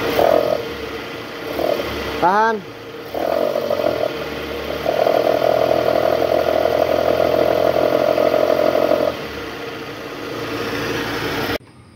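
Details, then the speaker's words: High-mileage Toyota Harrier with original tensioner, AC on, in reverse, revved to about 1000 rpm: steady droning growl as the worn tensioner with a weak spring vibrates; tensioner and loose balancer shaft replaced. "Oke Guys jadi tadi kita udah konfirmasi itu ada suara dari Tensioner bunyi ngorok gitu pas masuk R terus digas itu tensionernya geter dan bunyi ngorok akibat Eh pegasnya udah lemah"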